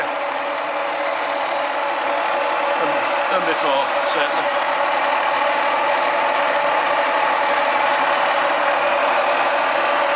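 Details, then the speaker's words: Bridgeport milling machine Vari-Speed head after service and reassembly, running: smooth, even mechanical hum with light steady whir, no knocking or grinding; serviced head runs nice and quiet, normal running. "so this is how the head should sound once it's been serviced nice and quiet"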